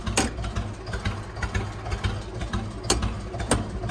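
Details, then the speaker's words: Computerized ATV/tractor: uneven, lumpy putt-putt idle with irregular beats, as if firing on only 2 cylinders; blipping the throttle doesn't smooth it. Owner suspects computer issues or a glitch. Misfire, no throttle response. "It's like only firing on 2 cylinders or something. Like it's got a glitch. This is the throttle."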